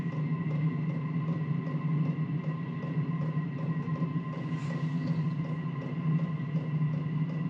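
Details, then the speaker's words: Cheap Chinese 5 kW 12V diesel air heater, first power-up: steady low hum with faint even ticking, no surging; it suddenly kicked on, burning normally and blowing heat out the bottom. "all of a sudden it kicked on and it started sounds like it's burning [Music] something it's kicking out heat out the bottom"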